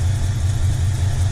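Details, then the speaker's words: 1986 Ford Bronco, stock 5.0L 302 V8 after distributor replacement: deep, even rumble with smooth steady beat and no lifter ticking from the top end; healthy normal idle. "I mean, I'm not sure if you can hear me or hear the audio on the truck, but it sounds fantastic. I mean, look at this. It's like there is no like ticking of the lifters."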